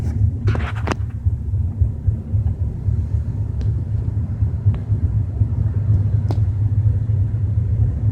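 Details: BMW 320i with a deep, steady low rumble while driving at 30–40 km/h, a few light ticks over it; source of the rumble unclear.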